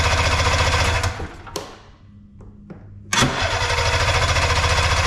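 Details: Arctic Cat Puma Deluxe 340 snowmobile after sitting about 10 years, around 45°F, primed, choke on, kill switch on: pull-cranking bursts with uneven chuffing and a gap, never settles into a run; cranks but won't start, cause unknown.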